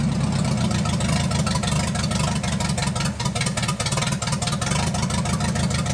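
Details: 1980 Dodge short-bed truck big-block V8, first run in 14 years, during cam break-in after converting from points back to factory electronic ignition; fast even run with deep steady rumble, no misses or knocks, normal running.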